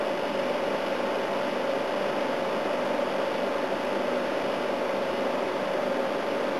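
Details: A/C unit on high fan, starting to freeze up, with head pressure: even steady hum with constant mid tone, no rattles or cycling; running smoothly and healthy.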